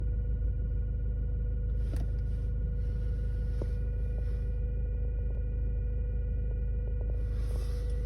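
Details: Hyundai i30 1.6 CRDi diesel at idle: a steady high-pitched whine, heard from behind the dashboard after about 15 minutes of driving but not when cold, over the low rumble. Caused by the fuel filter housing; replacing it and the filter cured it.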